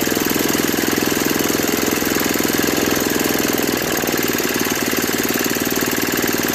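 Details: Brute 24-inch snow blower, 5 HP Tecumseh single-cylinder, after carburetor clean, new correct fuel line and fuel filter (was bogging under load, stalling), cold ~18°F: brisk steady rattle at even speed, no surging or hunting; normal running.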